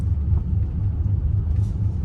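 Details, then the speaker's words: 2004 BMW X5 E53 driving slowly: low, steady droning moan under road rumble with a dragging feel; transfer case, transmission or passenger CV axle (slight play) suspected, not confirmed. "do you hear that yeah there's like uh like a moaning do we have a transfer case problem or do we not or do you have a transmission issue"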